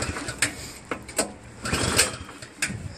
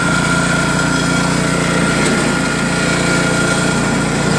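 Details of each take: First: New Craftsman snowblower with a Powermore engine: several pull-cord cranks with compression felt but no firing. Spark and compression were fine; the carburetor was clogged (ethanol), starving it of fuel. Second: New Craftsman snowblower with Chinese PowerMore single-cylinder engine, after carburetor cleaned of ethanol gum and fuel line and tank blown out: runs steady and even at fast speed, no missing or surging; normal running.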